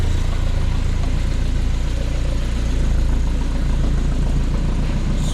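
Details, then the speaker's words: Dodge D50 with G63B engine, header and Weber-type carb, timing set about 10 degrees, battery charged: even idle with regular low raspy puffing under fan noise; exhaust leak, location unknown, plus a vacuum leak noted. "got it fired up and sounds all right a little exhaust leak it sounds like it's hard to tell with the fan like that"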